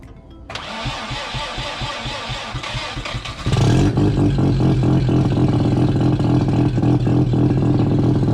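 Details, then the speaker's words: Triumph GT6+ project car, muffler removed, 2.5-inch straight down pipe: starter churns briefly, engine catches into a loud, raw, even drone with no turbo whine; turbo not really working. "Well, you can almost hear the turbo whine, can't you? Too bad the turbo isn't really working."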